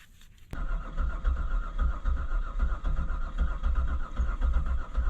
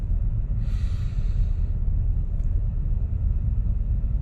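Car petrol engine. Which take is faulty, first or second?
first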